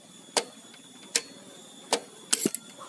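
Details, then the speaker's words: Yamaha Vixion gearbox shift drum turned by hand: stiff stopper spring snaps over the drum star, sharp uneven clicks and clunks about once a second; movement not smooth, notchy, especially near neutral, sometimes jumping. "nah disini sudah bisa dirasakan bahwa untuk pergerakannya ini tidak mulusnya tidak mulus jadi ada semacam ganjalan seperti itu terasa disini"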